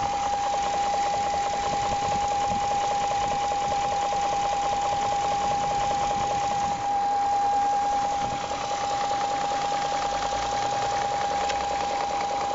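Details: 2001 BMW 740iL E38 V8 idling: a light, steady knock about three times a second, not loud and not heard inside the car; the car otherwise runs fine and the cause is unknown.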